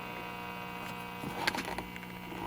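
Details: Zenith 6D029 console tube radio, before restoration, dial possibly not tuning: steady low mains hum with a buzzy edge; suspected to need the 60 Hz filter capacitor, not confirmed.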